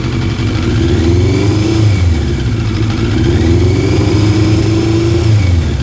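The four-cylinder revs up and down, but the exhaust note stumbles and sounds uneven instead of smooth, which points to a misfire.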